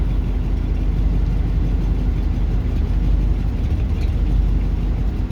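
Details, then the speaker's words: Buick ("Bluick") first start of 2024 after sitting since about September 2023, idling in reverse with reverse lights, headlights and blower loading it; low idle rumble that shakes and sputters under load, cause not determined. "you hear how it runs like a bag of [ __ ] like that [Music] drive not as bad cuz reverse you got the reverse lights for more"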